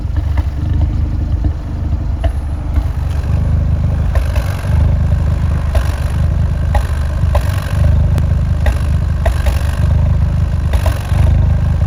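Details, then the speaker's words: Fiat 124 Spider 1.4 MultiAir turbo petrol, warm, idling unevenly and recorded from outside with lumpy stumbles; misfire count 5-6; owner suspects the known camshaft problem. "It's showing 5 misfire already, 6. It's going up and down. So I'm gonna slide that in. You guys are gonna hear exactly what it sounds like from outside."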